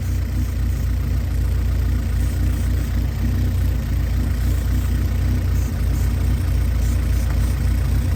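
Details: Honda Civic, engine warm/hot: idle mostly steady but drifts gently up and down rhythmically, a minor hunt; owner suspects vacuum leaks, also notes over-rev when accelerating from idle; cause unconfirmed.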